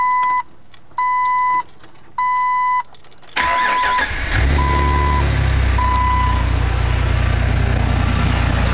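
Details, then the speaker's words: Cold start at 59,655 miles after installing aftermarket air filter kit with a tighter 90-degree intake bend and a throttle body spacer: warning chimes, then high cold idle with loud steady rushing intake air sound, which goes away once warm. "air sound goes away after it warms up. But that's what it sounds like."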